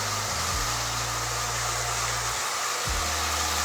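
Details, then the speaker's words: Marx tinplate lithographed toy train motor from an eBay lot, after long storage, run on track: buzzy, uneven whir that stalls and picks back up, pitch shifting as it drags; needs service, should speed up as it warms; rough-running motor, cause unconfirmed. "so yeah it definitely going to need some uh definitely going to need some Service uh that gu does not sound too happy"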